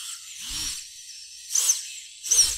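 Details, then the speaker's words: Props-off FPV drone motors after a one-variable fix to the yaw twitch and stutter problem, D term still at 100: three clean rising spin-up whirs with no stutter or twitching, running normally. "how it's supposed to sound like it's not twitching anymore when I do anything"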